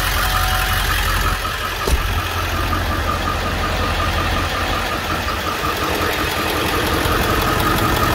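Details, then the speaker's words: 2002 Ford 7.3 Power Stroke diesel in a van, 177,981 miles, described as running like a dream. Startup, then loud steady diesel clatter at idle with an even beat and no misses; normal healthy idle. "Let's do a little quick startup video. You can see that it runs."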